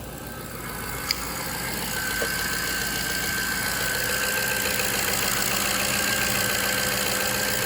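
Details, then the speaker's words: 2003 Jaguar XJ8 (X308) V8 after replacing bank 2 upstream oxygen sensor (P1647), not yet at full temperature: smooth, even idle that settles within seconds, no misses, stumbles or knocks; idling healthily. "But it's idling good. It hasn't come up to full temperature yet."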